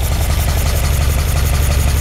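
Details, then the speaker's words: 1978 Ferrari 308 GTB engine first running after being sorted, distributors removed: steady low idle with slight pulsing lumpiness as the carburetors read about 5 to 7 on the sync tool, still needing balancing at set rpm when warm; uneven idle. "it's going to take some fine tuning to get them all even it needs to be at a certain rpm the engine needs to be warmed up but i'm getting very very close"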